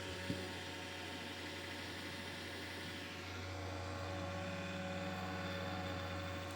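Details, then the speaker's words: Monster Abra A5 V16.6 gaming laptop cooling fan: steady rough whir with low droning growl and fixed hum, louder at first start, with overheating; worn fan, cleaning and oiling judged not a reliable fix. "Bilgisayarın sahibinin şikayeti sürekli surette buradaki fandan gelen hırıltılı ses. İlk çalıştığında daha da yüksek bir şekilde ses yapıyordu fakat şu anda bayağı bayağı ses azaldı."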